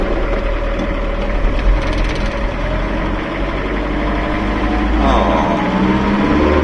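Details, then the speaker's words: Van on a test drive after replacing a driveshaft U-joint (crociera): steady low engine and road hum with no clunking or squeaking, driveline now quiet. "Maybe you can hear the engine's amplified noise a little, but it's definitely not that loud in here in the chaos, it's very quiet, eh? Anyway, it's quiet, very, very good."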